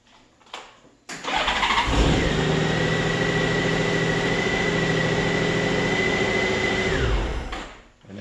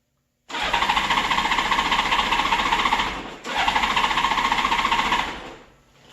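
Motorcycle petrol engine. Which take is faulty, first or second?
second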